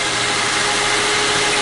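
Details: 2006 Lincoln Zephyr after a no-crank no-start with clicking and the anti-theft light on, fixed by cleaning a corroded battery cable connection: steady, even idle with a smooth hum and no knocks or misses; about 14 volts charging, engine healthy.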